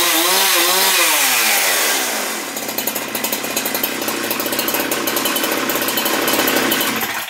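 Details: Husqvarna 372XP chainsaw after Walbro carburetor rebuild (L screw set about 1 1/4 turns; previously stalled instead of idling when warm): revs high, then drops cleanly to a steady, even idle with no stumbling or dying; runs healthy.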